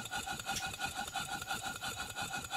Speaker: when you get it right the exhaust beats will be very even no jumping skipping beats a straight chu chu chuff type of